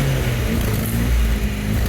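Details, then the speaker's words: MGB GT petrol, after about 12 months stored, bonnet open, listening at the exhaust: steady, even idle with deep, full exhaust burble and no knocks or misses; healthy exhaust note. "but how cool does she sound sounds amazing oh she's dying to get back out on the road she is"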